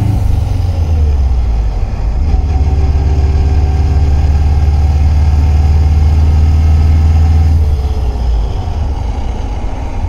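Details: 1995 Subaru Impreza WRX idling in neutral: deep steady drone with a faint thin whine that appears when the clutch is released, also while driving; the clutch was recently replaced and the noise persists, cause unknown.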